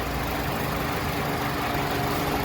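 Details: 2008 Nissan Sentra 2.0-litre four-cylinder, CVT, hood open, warm, freshly changed oil: smooth, even low hum, no knocks or ticks; normal clean idle.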